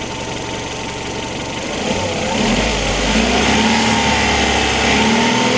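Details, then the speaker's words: Opel Antara warmed up at idle, before adding RVS G4 additive: revs lift gently midway, and a faint chirping tick rides over the steady run; engine has a side noise of unidentified source. "Mä luulen, että tää kone alkaa olla aika hyvin nyt lämmitetty, niin täältä se kuulostaa lämpimänä. Siellä se sirkuttaa."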